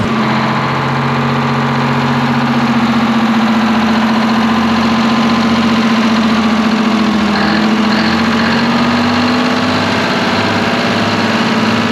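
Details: Twin-turbo 12V71 Detroit Diesel generator revived after being abandoned. Smooth, even diesel idle with a steady hum and no rubbing or rattling from the fan area; runs healthy.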